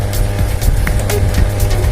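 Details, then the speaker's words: Modified JMK amplifier, with a previously altered transformer and messy wiring, producing a steady low mains hum. "Di sini memang ada mengeluarkan suara dengungan. Jadi di sini bisa sahabat dengar suaranya seperti ini. Jadi kurang bersih."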